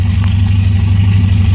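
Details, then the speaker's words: 1970 Opel GT engine after restoration, first full run at stable idle of about 750 rpm: steady, even low hum with no misses, knocks or ticks; healthy idle. "Okay, we're in a stable idle here at about 750 RPM."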